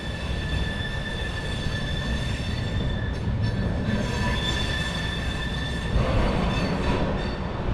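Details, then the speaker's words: Norfolk Southern train moving slowly on the Silverplate Branch in Ohio, on poorly maintained track slightly out of gauge: steady high-pitched screech over low car rumble from wheel flanges squealing. "NS has done some minor upgrades to this line. I've seen some maintenance away equipment parked on a siding down the way, but you can hear those flanges squealing."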